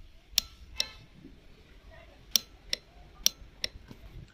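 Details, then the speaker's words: TVS Apache RTR 200 4V pressing self-start: sharp dry ticks from the starter relay, two per press, no cranking; starter motor failed from worn carbon brushes. "जैसे मैं self they रहा हूँ, यहाँ पे तो engine तो start नहीं हो रहा है, बट एक टिक टिक करके आवाज़ आ रहा है। वो जो आवाज़ आ रहा है वो रिले से आ रहा है।"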